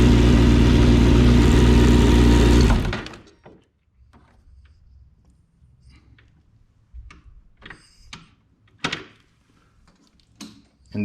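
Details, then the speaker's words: Motorcycle: engine runs evenly under three seconds, then dies abruptly when put in gear with the kickstand down; kickstand safety switch cutting the ignition, as designed. "if your kickstand is down while you put the bike in gear the bike shuts off it will not start"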